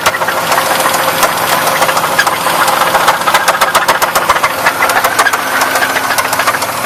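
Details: 1994 Buick Park Avenue V6 at idle with a sharp, fairly fast tapping knock that started suddenly a few weeks after purchase; owner suspects rod knock, unconfirmed.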